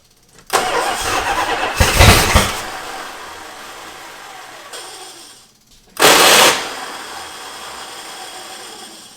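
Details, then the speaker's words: 1977 Dodge Monaco with a 360 V8, parked since 1989: two bursts of starter cranking, turning over without catching because no fuel is reaching the carburetor. The owner guesses a stuck float. Crank, no start, no fuel to carburetor. "Be strong, little starter. Why is there not fuel in the carbonator?"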